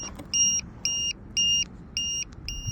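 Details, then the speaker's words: RC airplane in flight: steady high two-tone beeps about once a second start only two minutes into the flight. The battery low-voltage alarm was set to the wrong voltage threshold, as confirmed after landing. "maybe I maybe I set the alarm to go off at at the wrong voltage cuz cuz it shouldn't it shouldn't be low already"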